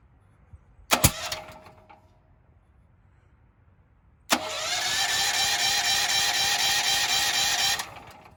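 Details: Firman switched to gasoline after filling with gas: short crank burst, pause, then about three seconds of steady starter whirring that never catches; cranks but will not start, cause unknown, owner thinks a starting instruction was missed.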